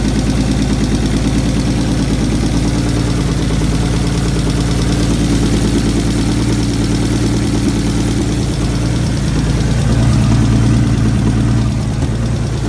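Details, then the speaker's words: Turbo S52-swapped 1990 BMW 318i E30 touring, first run with a partial exhaust (downpipe) after catch can and turbo hardware install: loud, steady open-exhaust idle with an even rumbling beat and no misses; oil draining well, normal idle. "oil coming out of the drain that's good sounds good"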